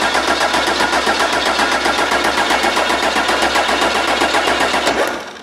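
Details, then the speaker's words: 12-valve Cummins stored for nearly a decade, first start attempt while cranking: a fast, sharp metallic clatter of about four beats a second that then dies away; the lift pump plunger is suspected bad and is leaking fuel (not confirmed). "you might have to put the battery charger on that I like sounds like it's sounds like the plunger [ __ ] [ __ ] up oh yeah I think it is too cuz it's leaking fuel outside of it"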